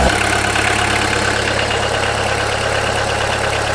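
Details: VW diesel after cylinder head replacement and tightening of loose injectors: steady, even diesel clatter at idle with no misses or stumbling; running cleanly on all cylinders.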